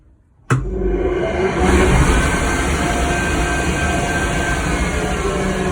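The machine starts abruptly into a steady rushing roar with faint whistling tones; an odd running noise with no clear cause.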